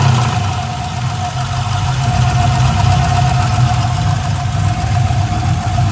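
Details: LS1 V8 with a valve train of about 1000 miles (LS7 lifters, hardened pushrods, dual springs, trunnion upgrade; rockers still tight): uneven light tick over a deep, steady idle. Runs and drives normally; owner suspects lifter tick or a spun bearing, unconfirmed.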